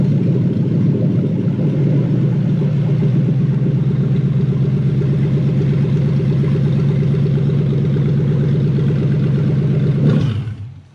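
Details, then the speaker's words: Toyota 3UZ V8 swapped into a 2005-2015 Hilux 4x4 (engine from a JDM Celsior) on a conversion loom. Runs steady with a low even thrum and some uneven clatter, then shuts off. Airflow meter fault because its circuit is unconnected with no 12 V supply. "here i've actually got uh airflow meter problem um i'm running on my airflow meter fuel pump circuit which we know because i haven't connected it"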